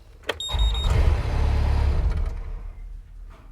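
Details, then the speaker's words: Mustang electrical fault, seatbelt plugged in, after a wiring fix: a click then a low strained droning hum for about two seconds that fades; motor struggling when switched, fix failed, fault possibly inside the switch. "it didn't oh that doesn't sound good right okay so that didn't work"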